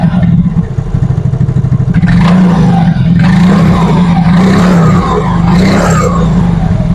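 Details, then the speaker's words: Yamaha Mio Fino 125 fuel-injected scooter after cleaning and adjusting the idle speed control (ISC) via its hose: steady low burble at even speed with no throttle, some street noise around; normal idle. "coba nyalain jadi ini enggak saya pegang ya untuk e kondisi gasnya tuh ini normal ngangsap Oke aman ya"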